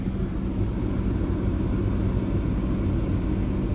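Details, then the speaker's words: RV center rooftop air conditioner heard at its vent, blowing cold air, while the other two units stay silent. Steady low rumble and airflow hiss with an even hum, no rattles or squeals: running normally. "we can hear that AC and we can feel the air cold air because this is vented all the way through"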